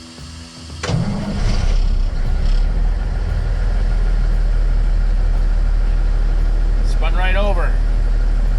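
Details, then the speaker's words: 1990 9370 tri-axle dump truck diesel, restarted after running 20–30 minutes at about 140 degrees: short quick crank, catches at once and settles into a steady, even low idle; clean warm start. "and fast course it's got some heat in it now so it didn't have to think about it"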